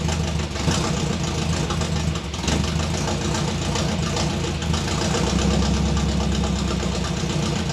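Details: 1957 Chevy convertible hotrod with a 400 V8: lumpy, uneven idle with an irregular low thump, picking up under rpm. Misfire at idle; owner suspects bad spark plug wires after getting shocked by them.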